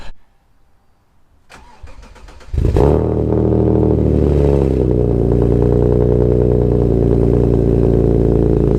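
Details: Alfa Romeo GTV 3.0 V6 with Wizard stainless downpipes (CF2 manifolds on CF3) and Cybox cat-back exhaust with silencer delete, first start in 18 months: starter cranks briefly, engine catches and settles into deep, steady, even idle; normal start-up.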